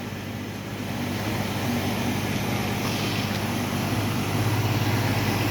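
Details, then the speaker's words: 1968 Mustang V8 after getting it started, idling with a smooth, even hum and a faint puff from a slight exhaust leak. "Listen to that thing hum. Listen to how smooth that thing sounds. We got a little bit of exhaust leak, but these cars have always had exhaust leaks."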